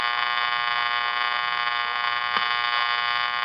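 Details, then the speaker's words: Channel Master 6505 five-transistor AM table radio, barely picking up stations, during capacitor jumping; constant harsh buzz at one pitch; loud hum, faulty capacitors being traced. "This is driving me crazy. That noise. I can't take it."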